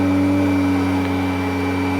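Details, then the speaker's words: 1991 Kirby Generation 3 upright vacuum on low carpet, nozzle lowered one notch at a time to lowest setting, belt worn: steady, even motor whine with clear high tone and no surging; nozzle sealed to carpet. "Go back to the carpet, lower it 1 notch at a time. My toe touch until you hear it changing the motor, then lower it again."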